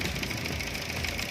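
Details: 2011 Toyota Altis petrol engine at idle, suddenly began stumbling, shaking heavily and won't rev with no power; coil previously replaced: rough uneven stumbling idle under a busy hiss, one cylinder dropping out, suspected failed ignition coil.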